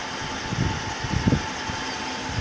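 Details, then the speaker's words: Chrysler 300, 5.7L Hemi, 127,000 miles, first start after heads rebuilt for the valve-seat failure (a seat dropped on a warm restart): steady, even V8 idle rumble, occasional light thumps, no persistent knock or lifter tick; normal idle. "sounds pretty normal no lift or ticks or nothing Prelude took care of that and then letting it sit for a couple hours after those Prelude [Music] [Applause] sounds normal there you go"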